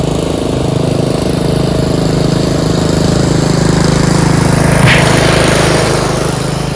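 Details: Yard Machines 13.5 HP Tecumseh 38" riding mower, after fixing slow cranking: steady, even single-cylinder thump at constant speed, no misses or knocks; running normally.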